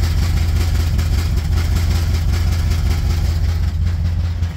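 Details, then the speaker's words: 1969 Chevy truck, just driven about 2,000 miles from Oregon and tuned: loud raw burbling idle at about 650 rpm with uneven lope and open exhaust, no mufflers; mufflers still to be fixed. "Yeah, so you can kind of hear it under there. It's the sound of that open exhaust. Whereas this one actually has pulses to it."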